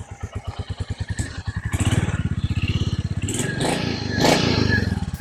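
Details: Royal Enfield Meteor 350 (stolen and abused, bought unrun, battery dead), first start after being hot-wired with a screwdriver: catches at once, steady even thump picking up briefly with throttle; starts and runs fine.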